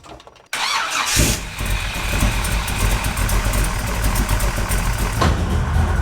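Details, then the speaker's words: BluePrint 540 ci big-block Chevy V8 newly fitted with a Holley Mid-Mount accessory drive kit PN 20-242, restarted on a belt test: the engine cranks, catches quickly and settles into an even idle, with no squeal or chirp; the belt stays on and the drive works well. "more I'll take it it's not complete yet but it's working it's working good"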